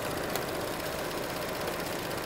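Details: 2012 Chevrolet Cruze 1.4L Ecotec turbo at hot idle: fast, light ticking over the engine hum from a failing EVAP canister purge solenoid valve, louder than the normal ticking; replaced with a new AC Delco part.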